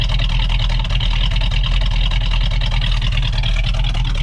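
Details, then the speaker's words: 1970 Dodge Challenger R/T 440 Six Pack V8, new thermostat and radiator cap, warming up during radiator burping for air-caused overheating: deep lumpy idle, each cylinder's firing distinct and even, no knocks or misses; normal. "you can almost hear the cylinders firing"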